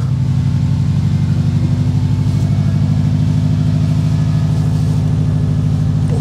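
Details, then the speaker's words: Subaru WRX first start after derusting gas tank in car with Evapo-Rust and reinstalling sending unit: fuel pump running, steady even low idle rumble with regular firing, no knocks or misses. "Fuel pump is running. Car's running. Oh my gosh, this is exciting."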